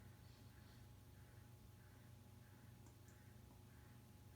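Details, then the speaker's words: Encon Petite 30-inch ceiling fan with white blades: faint soft ticking rustle about three a second over low steady motor hum; bearing noise with slightly stiff bearings, reportedly normal for Encon fans. "this fan does have some bearing noise it's not the humming I'm talking about you can actually hear it from here"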